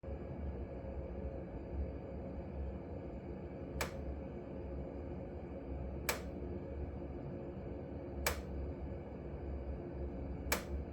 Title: Glow worm Energy7 30c clicking sound between ~40 and ~55 degrees